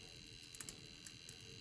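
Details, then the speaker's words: Dualit 4-slice toaster, serial 2010-12 (about 14 years old), 230 V 2200 W, made in England, set for 2.5 minutes on two slots: sharp scattered ticks and crackles over quiet hiss as elements warm up normally. "You can hear it crackling, which is good."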